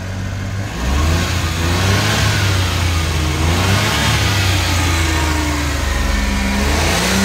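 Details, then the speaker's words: Suzuki mini pickup that kept stalling and was hard to start, after a fuel blockage was cleared: engine revs up and down cleanly with a smooth rising note, no stumble or cut-out, no longer dies; starter still a remaining problem. "so wala tayong RPM walang RPM yan maayos na maayos na kahit na silinyador mo hindi na siya namamatay"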